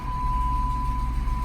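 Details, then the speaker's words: V8 project car, battery possibly weak: starts right up into a deep, steady low rumble with an even beat, no rattles or stumbles, a purr; normal idle. "Right up. You hear that purr? Ooh, baby."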